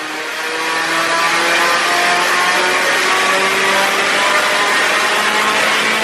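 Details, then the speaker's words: Stroked SR20 (SR22) 180sx, final full-load dyno pull after fuel system overhaul and tune; loud, smooth, clean climb through the revs with no stumbles. "Now I'll stop rambling on and let you enjoy the final pulls where you can listen to the SR20 sing."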